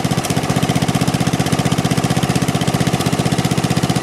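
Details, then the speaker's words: Snapper rear-engine rider, 12 hp Briggs & Stratton single-cylinder being revived: steady thump about three beats a second with occasional skipped beats; misfire, owner suspects spark problem and incorrect magneto. "it does miss every every now and then you gotta consider uh i'd like to get the correct magneto for it and see if that'll uh keep it from missing like that"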